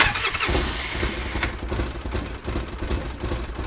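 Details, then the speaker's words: 2005 Polaris Ranger XP 700 EFI twin running unevenly after new battery, beat rising and sagging about twice a second, shaking, smoke from exhaust leak; suspected running on one cylinder, later traced to dirty TBAP sensor and throttle body. "That sounds like it's running on one? Or what does that sound like to you?"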